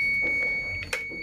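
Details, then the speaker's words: Two-door refrigerator short repair: continuity tester gives a steady high beep indicating short to body, but only because the timer is still connected; after disconnecting the timer, no short. "Kalau short begini, apakah benar jika kita lepas masih ada short body? Berarti memang e kalau misalnya masih ada timber, dia masih bunyi seperti ini."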